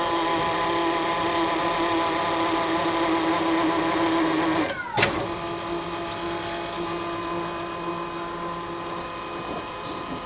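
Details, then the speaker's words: Hydraulic tapping arm driving a 1.5-inch tap into a blind hole in mild steel: steady motor hum with even tones and one brief knock as the tap seats. Normal hydraulic tapping. "We're going to go ahead and articulate the tap into the hole, and then we'll let the arm do the rest."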